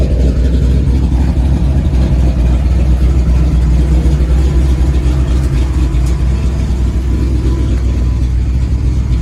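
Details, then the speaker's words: 1994 Ford F-150 5.0 V8 with aluminum heads and Paradigm supercharger idles rough with a deep, uneven surging beat; spark and fuel pressure confirmed, runs better when revved, worse with AC on, stumbles driving; TPS, IAC, ICM, computer, plugs, cap, rotor, wires, injectors replaced. "it seems to just idle rough and I can't figure it out so maybe some help from you guys could help me out"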